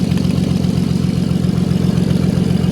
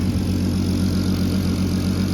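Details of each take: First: MK5 VW Golf R32 Turbo at idle: fast, even ticking puff at firing rate on the exhaust note from a leak between the cylinder head and exhaust manifold, reused old gasket; to be resealed once cooled. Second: MK5 VW Golf R32 Turbo after exhaust manifold reseal, turbo, downpipe, wastegate and boost pipes refitted, on start-up: steady, even low rumble with exhaust now from the tailpipe, no ticks or hiss; normal idle.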